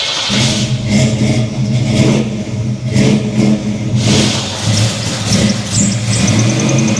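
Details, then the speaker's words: 1983 Chevy C10, 350 small-block V8 with Holley 4-barrel carburetor, choke stuck, backfiring and spewing fuel; revs unevenly, surging and sagging with sharp bursts; rough running from faulty carburetor. "we had found that the Poly carburetor up here the choke was in the fully stuck position and when you tried to crank it it would backfire and spew a bunch of fuel out everywhere"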